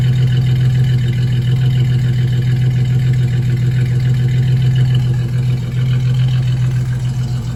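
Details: 2004 single-cab truck's old V6, overfilled with far too much oil, at a steady low idle with a repeating knock about three times a second under the engine note. Rod knock is suspected, not confirmed.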